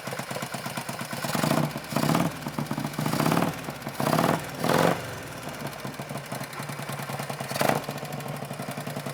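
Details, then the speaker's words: Barn-find Harley Panhead with a Mikuni carburetor, unstarted for an estimated 20–30 years and worked on for a day and a half, starts on one kick with no throttle: loping V-twin idle holding steady between clean throttle blips, healthy running. "one kick no throttle there you have it one kick no throttle"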